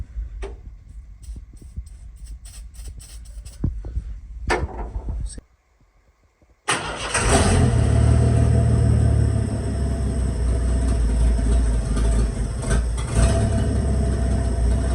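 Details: 1986 Ford F150 pickup started after gas tank replacement, refilled with reused, filtered old fuel: a few faint clicks, a pause, then the engine catches and settles into a loud, steady, even idle with no misses; normal start and idle.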